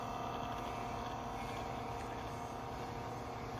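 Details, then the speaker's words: 1981-1985 Mercedes diesel cruise control actuator bench test, negative to motor pin and middle pin touched; quiet even whir, no catches or grinding: smooth, healthy actuator motor. "Let's see if you can hear it running. Listen how smooth that's running."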